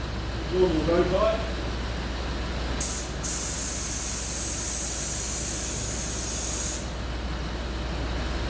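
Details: Land Rover Discovery 3 after replacement air suspension compressor fitted: about four seconds of sharp steady air hiss over quiet running engine as suspension vents and lowers normally.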